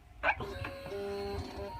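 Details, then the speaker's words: 2008 Suzuki SV650S, fuel-injected with performance pipe, key on and kickstand up: a click then a faint steady low whir for about a second; normal fuel pump priming. "you hear the fuel injection there kick on it's pumping and priming everything"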